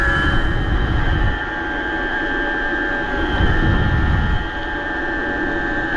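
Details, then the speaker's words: BBS02 e-bike mid-drive motor after damaging conversion to 72 V, 42/32 gearing, riding in first gear around 31 mph under 1,000 W; loud steady high whine over road noise. Owner suspects something still out of whack, plans to open it. "she's a screamer I don't know well I'm probably going to open it up and like poke around in it it seems like something's out of whack still"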